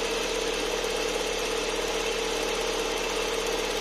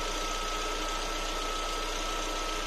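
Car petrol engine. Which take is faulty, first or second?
first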